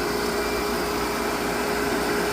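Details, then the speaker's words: Pump motor after cleaning and reseating fuses with dielectric grease, poor fuse connection suspected of causing problems and line surging for a week: steady even hum, no roughness or surging; running smoother. "cuz that sounds smoother."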